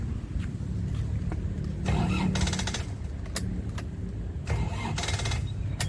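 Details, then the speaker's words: 2002 Isuzu Panther Touring manual turbo diesel with turbo timer, engine and turbo dry with no oil seepage, being started: it catches and settles into an even, crisp clatter with no misses, knocks or squeals; normal diesel start and idle. "Sedap lur. Video mesin Touring 2002. Suaranya renyah. Mesinnya istimewa lur, mesinnya sehat dijamin, sudah ada turbo timernya,"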